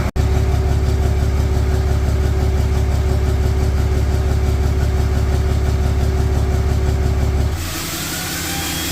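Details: Idle on a 4th-gen Ram 3500 Cummins just after first start of its rebuilt HE351VE VGT turbo, with the actuator removed and assembly lube used. Deep, even diesel clatter with a steady light turbo whistle, no grinding; healthy. Slight oil leak at the empty VGT sensor port; needs a relearn.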